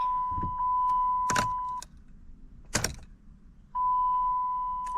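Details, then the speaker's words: 2013 Dodge Challenger, crank no start, battery at 13.08 V: key-on prime gives only a steady chime and a couple of clicks with no fuel pump whir; pump not priming, pump failure suspected but not yet confirmed by further tests. "Okay, let's prime it again and listen for the pump. Listen for the pump. I don't hear the pump."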